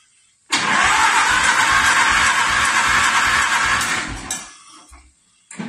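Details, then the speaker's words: 1950s–60s John Deere bulldozer that had sat about 20 years, ether sprayed into the carb intake: steady rhythmic cranking about four turns a second, engine spins freely but never catches; spark to be checked. "that's your throttle it turns over so that's a good sign"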